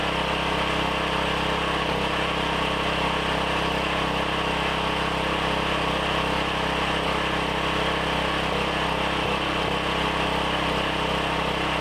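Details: Briggs & Stratton 7,350 W surge / 5,250 W generator after replacement carb, custom air filter and tune-up, throttle set by rough guess with no load: loud, steady drone at constant speed with no misses, surging or knocks; normal running.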